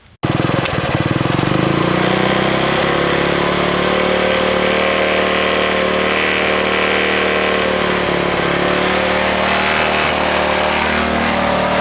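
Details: 1964 Honda S90 single-cylinder after trying to stop a fuel leak and refitting the carb throttle slide: fires up and runs with a ragged, uneven beat and no clean steady idle; running rough, worse than the day before.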